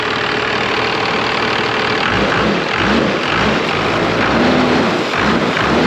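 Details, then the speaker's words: 1996 Dodge 2500 12-valve Cummins that sat 15 years, just started after the cracked injection lines were bled and tightened: after a couple of light blips it settles into a steady, clean idle with no knocks or misses. "the hell yes it runs pretty good wow definitely a successful will it start"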